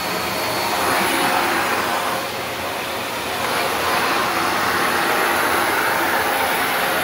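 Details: Shark NV355 vacuum bought in 2018, about 3 years old, converted to hose mode with strong flow; steady strong airflow rush with smooth motor hum, slight swells as the hose moves; normal running.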